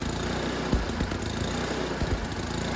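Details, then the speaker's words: Yard Machines 24-inch snowblower with Tecumseh 8 hp engine, in for yearly service, at full throttle: the single-cylinder drone wavers and swells slightly about every second. This is mild surging before carburetor cleaning. "It's just in for a yearly service, and as you can hear there at full throttle, it's kind of surging just a little."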